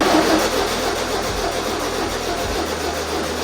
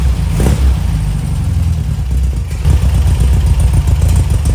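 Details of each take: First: 1973 VW Super Beetle 1303, air-cooled flat-four, after 15 years outside, points cleaned and plug wires reordered: steady starter cranking about four pulses a second, never firing; no spark, likely because the distributor shaft doesn't open the points. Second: 1973 VW Super Beetle 1303 air-cooled flat-four, after 15 years outside, carb idle mixture screw bottomed then backed out 2.5 turns: rough, chuffing engine running on its own with a few blips; keeps running, engine healthy.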